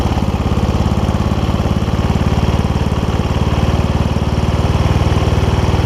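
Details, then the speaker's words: Toro Wheel Horse 1232XL hauler tractor, 12.5hp Briggs single-cylinder, after Hipa carb kit install: steady fast thumping around 220 beats a minute, never drops to slow idle; throttle somewhat messed up, idle screw adjustable with flathead screwdriver. "I'll give you that gives you an idea of the uh throttle a little bit uh messed up on this so that's kind of why we're having an issue with the with white not doesn't want to idle down"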